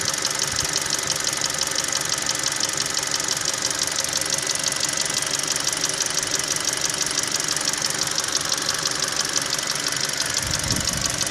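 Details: Hyundai 2.0 G4NA engine fully warm after 1.5 km of driving: sharp, steady ticking knock about three per second over an otherwise even idle. It disappears randomly, does not depend on warm-up, and the dealer says all is normal.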